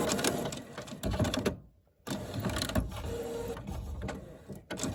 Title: HP Photosmart plus printer making strange noises￼